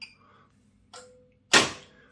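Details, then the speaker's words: Bosch washing machine with error F18, not draining: a few sharp clicks as the door lock engages normally on the drain program, then total silence where the drain pump should run. "se verrouille et là normalement on entend la pompe de vidange qui tourne et là c'est le silence total"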